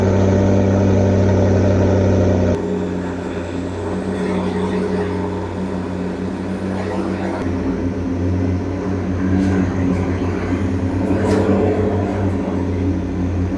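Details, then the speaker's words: McLaren 650S (project car bought for $38,500) with smoking, intermittent faults and a Low Oil Pressure warning. Loud start flare settles into a steady, even V8 idle with a low drone, no knocks or misses. No check engine light; it runs fine. "So the car runs fine. I'll assume nothing is wrong."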